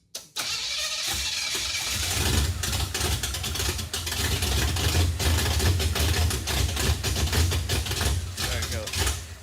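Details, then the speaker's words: Junkyard 1957 Chevy after new rubber fuel lines; steady starter cranking about three turns a second with uneven puffs, never fires; not picking up fuel, suspected empty leaked tank or clogged pickup sock, tank likely rusty. Crank no start. "not picking up any fuel. So, either there's nothing left in the tank cuz it leaked out on the floor or maybe the sock at the bottom of the pickup is just clogged or something."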